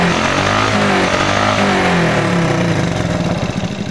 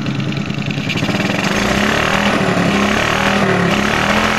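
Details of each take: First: Smash 110 motorcycle single with a carburetor that misfires when a carburetor hole is left uncovered. With the hole covered it revs steadily at a fast even beat, no dropouts: running clean without misfire. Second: Smash 110 motorcycle single with a faulty carburetor, revved with the carburetor hole uncovered. It runs ragged and uneven, stumbling and popping; covering the hole cures it: misfire from the uncovered carburetor opening.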